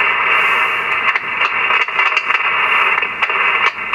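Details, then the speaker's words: Yaesu FT-101B transceiver receiver: steady hiss with sudden crackles and brief receive dropouts when the chassis is flexed; intermittent connection suspected in dirty boards. "so hear that as i flex the chassis um so there is definitely a intermittent connection somewhere and it's probably in these uh boards"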